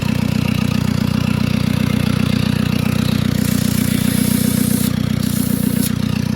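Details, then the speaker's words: 2013 Ford Ranger diesel that starts then stalls after new glow plugs, running at idle with intake manifold removed: loud harsh rapid chuffing, serious exhaust pressure blowing out of the EGR valve, whose top is off; EGR stuck open, and exhaust possibly also blocked. "What I can see here, very noisy, but there's serious pressure coming out of the EGR valve. The EGR valve is going to be stuck open, but we have an exhaust or something blocked as well, alright?"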